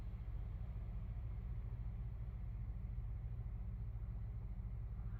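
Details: Toshiba 12,000 BTU mini split in LMTV camper, on solar/batteries, set to 65°F with cabin at 71°F, just switched on: steady low hum firming up as compressor ramps to about 700–1,000 watts, no rattle or knock; normal compressor ramp-up.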